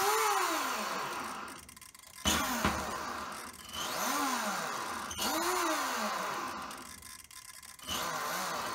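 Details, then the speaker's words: Castle Mamba X ESC and motor in an RC car with the sensor wire unplugged: smooth whine rising and falling in quick arcs as the motor spins up and reverses, crisp with no stutter; with the sensor wire plugged in it malfunctions. "if i unplug this sensor wire here unplug that it works perfectly oops maybe i shouldn't maybe i should have left that in the car but it works perfectly forward reverse"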